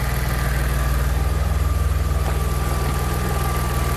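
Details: Engine-swapped Audi A4 after a crank/no-start with no trouble codes, fixed by re-soldering wiring. Steady idle with an even pulse of about four beats a second and no stumbles: healthy idle.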